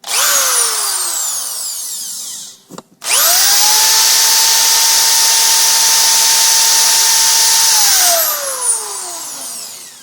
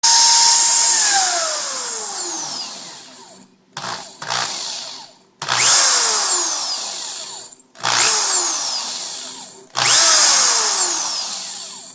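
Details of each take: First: Power drill after brushes were sanded and refitted: spins up quickly to a clean, steady high whine and winds down smoothly, squeal gone; normal healthy motor. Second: Corded power drill revved in short bursts, leaving a high squealing whine that falls in pitch as it spins down. Squeal from worn or dirty brushes; fixed by sanding the brushes.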